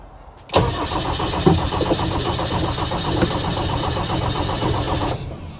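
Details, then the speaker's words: 35-year-old Land Rover Defender 110, first start attempt after battery connection, no fuel pump sound heard; steady rhythmic cranking with hissy rush, never fires; owner suspects a gasket issue. "up it's turning over start start motor's working it's making a lot of a s s sound which to me doesn't sound good that could be a gasket issue"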